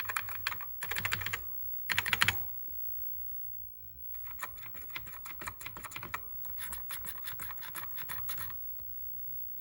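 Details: Commodore SX-64 keyboard, possibly after a new membrane was fitted: keys tapped in quick bursts give a dry, scratchy rasp instead of a clean click, a scratchy key action that can be fixed.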